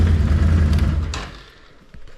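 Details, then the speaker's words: 2011 Can-Am Outlander 800 after a fuel pump and sending unit assembly swap, which cured low fuel pressure that made it run like one cylinder: a deep, even rumble revs cleanly and settles with no misses or knocks; normal running. "it sounds spoton as far as the way it's idling and Revan I won't know until I start hauling wood with it but I think uh I think she's good to [Music]"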